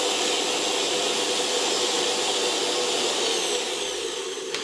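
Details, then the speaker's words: Interwar Electrolux VII vacuum motor after reassembly, voltage raised to high speed: steady hiss-like whir, faint whine, no more stalling or slowing; cause was likely rotor mounted crooked in its STEYR E7 bearing, not damaged winding; clatter remains at low speed. "ale jak podniosę napięcie i zwiększą się obroty to już dalej działa całkiem okej a przede wszystkim silnik przestał przerywać zwalniać"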